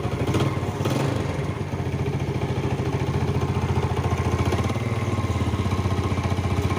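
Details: Yamaha Jupiter Z (Burhan) single after refitting a loose clutch ring found inside: idling with loose knock about three to four a second on the exhaust beat, only slightly reduced; owner suspects worn connecting rod big-end bearing.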